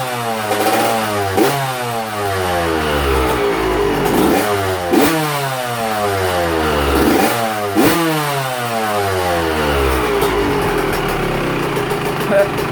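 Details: Two-stroke after top-end rebuild, first heat cycle indoors: crisp revs climbing and dropping in quick, even blips, no knocks or rattles; healthy fresh top end.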